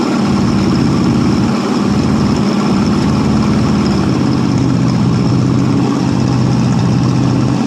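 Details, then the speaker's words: 1967 Ford LTD 2-door, 390 FE V8 with 2-barrel carburetor, first start after 12 years on 12-year-old fuel at about half throttle: loud, lumpy, loping run with sags; loading up rich, carburetor needs replacing. "Well, he definitely loads up pretty damn good. Like I said, it needs a carburetor, definitely."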